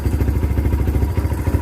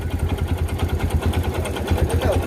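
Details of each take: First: Kawasaki Barako 2 single-cylinder motorcycle idling after connecting rod replacement (noise first suspected as timing chain), now breaking in: even steady low thump, no knocking or clatter; quiet, back to normal. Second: Kawasaki Barako 2 single-cylinder motorcycle engine idling: loud, regular metallic knock from a worn connecting rod, previously mistaken for timing chain noise.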